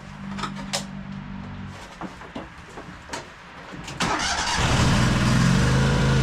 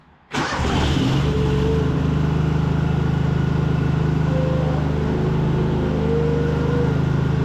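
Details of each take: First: High-hour Cub Cadet 2186 lawn tractor with Kohler engine: runs briefly, dies, then cranks with uneven catches and fires again but won't keep running. Fuel starvation despite gas in the tank, caused by a split fuel line. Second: High-hour Cub Cadet 2186 lawn tractor with V-twin, after the fuel problem was fixed, with a little choke: brief crank, catches at once and settles into a steady, even idle. Healthy start; it now runs and mows well.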